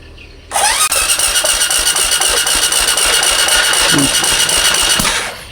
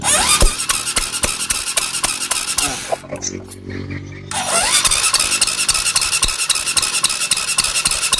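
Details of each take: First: Supra X 125 motorcycle, hard to start when cold, new spark plugs, spark normal: even starter cranking with a fast regular beat, about four per second, over a high whine; sounds light, low compression suspected from tight valve clearance before valve adjustment. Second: Supra X 125 motorcycle after valve clearance set to 0.5: even cranking chuffs at about 220 per minute with a squeal at the start; compression now stronger than before and sounds healthy.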